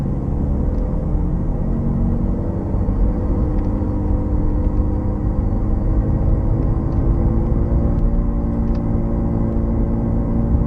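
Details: Bad wheel bearing heard while driving: a deep, droning growl under road noise; other components can cause similar noises.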